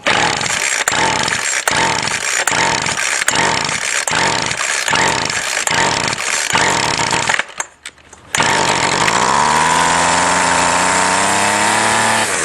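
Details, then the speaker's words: Salvaged two-stroke string trimmer at full throttle after priming: it surges rhythmically about once a second, then cuts out and revs unevenly. The owner suspects a plugged carb; factory mixture screws are non-adjustable. "well this one's sounding like a plug carb kind of so I'll see if it's got mixed your adjustment screws first"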